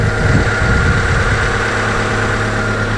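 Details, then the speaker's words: Daihatsu Taruna EFI after full engine overhaul (worn liners; had smoked on deceleration), new plugs, first start: oil light goes out at once, steady even idle about 1000 rpm while warming, no knocks or smoke. Normal idle. "indikator oli juga langsung mati artinya normal Yao Li lbm di 1000 biarkan panas nanti setelah panas kita turunkan disekitar 800ma antar ya halus sangat halus sekali"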